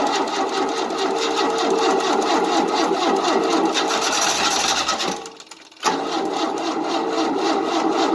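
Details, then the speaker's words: 1988 Tennant 255 Series II sweeper after new fuel line: rapid even starter chatter about three beats a second, pause, more cranking without firing; fuel pump not delivering, needs a fuel pump. "It needs a fuel pump. No, ain't gonna pump it properly."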